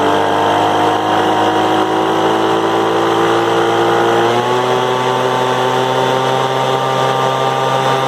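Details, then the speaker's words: Craftsman 200mph leaf blower running rough, carburetor high-speed (right) screw being tuned; steady high note steps up and clears as the screw is turned in, having been out too far and bogged: rich high-speed mixture. "so when it was running the screw on the right there I was turning it in and it was out too far when it's out too far it's running too rich when you turn it in starts to run lean"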